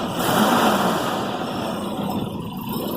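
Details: Petrol engine that idled lumpy on a cold start; a water-spray check found no vacuum leak, and the idle speed control screw was raised: it now ticks over evenly at a steady speed with a faint high whine on top.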